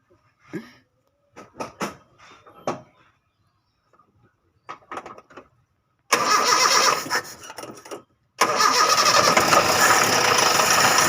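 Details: Toyota Kijang after an ignition coil upgrade: cranks briefly, catches cleanly and settles to a steady, even idle with no stumble or misfire; sounds healthy.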